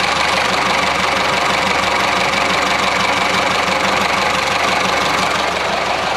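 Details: Classic Mini Clubman Estate, choke off, not yet at temperature, after the carb dashpot top was removed and cleaned. Steady, even idle with no stumbling or dying over several seconds while testing whether it runs out of fuel.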